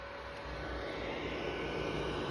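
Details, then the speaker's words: Sony PlayStation 3 fat console running Dead Space 2, just launched: steady loud rushing roar with a faint tone, rising slightly, like a vacuum cleaner or fighter jet; owner unsure if normal; loud cooling fan noise. "так я игру запустил но приставка начала гудить как истребитель"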